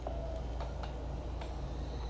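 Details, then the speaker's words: 2015 KTM 690R Enduro ABS with a dead battery, ignition switched on with a Micro-Start jump charger plugged into a newly added battery lead. Soft irregular ticks and clicks over a low hum; normal system priming before start. "all right now I'll go over here turn the ignition"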